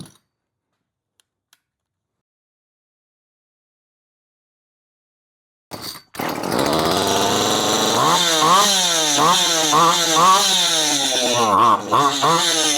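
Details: Poulan Farmhand 2500/2900 chainsaw, run with the clutch cover off to check oil flow after the clutch was checked tight. After a few seconds of quiet it fires and settles into a high, buzzy two-stroke run that blips with the throttle, sounding healthy; normal running.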